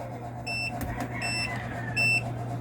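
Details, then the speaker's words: One Solar 3 kW toroidal inverter on a 24 V battery, early morning with no solar input yet: steady hum with a high beep about every 0.75 s; low-battery alarm at 23.2 V (inverter reads 23.1), with low-voltage disconnect set at 22.2 V. "Mga bossing, mahina na yung battery natin. 23.2 kaya nagaalarm na si inverter."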